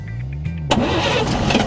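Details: 1950 GMC inline six (248 or 270) junkyard rescue, first start attempt: starter churns in slow even beats, then it fires with a burst that falls away; cranks but will not keep running.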